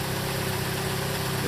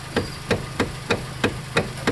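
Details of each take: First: Hyundai/Kia after replacing the worn rubber star-shaped steering coupler: the engine idles with a steady hum and the power steering works, with no clunk when turning the wheel; the steering noise is fixed. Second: 2013 Hyundai Elantra GT electric power steering (MDPS): eight sharp clunks about every third of a second while the wheel is turned; worn steering motor rubber coupler.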